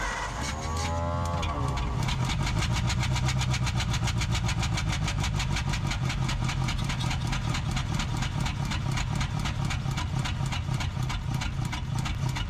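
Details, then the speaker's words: 1947 Ford Coupe flathead V8, barn-stored about 15 years, with number 1 spark plug wire pulled: runs about the same, uneven lumpy idle with occasional coughs back through the carburetor; misfire cause not yet pinned down. "Sure seems like it's running about the same. Let's pull that spark plug out and see if that's what's causing us to cough through our carburetor."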